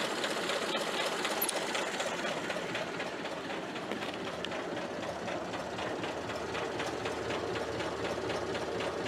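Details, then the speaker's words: Ford Model A generator after front bearing and brush replacement, running on car: light even ticking about four times a second under soft engine hum, no squeal, charging steady 15 amps. Normal running generator. "guess what everyone it works it works pretty good actually"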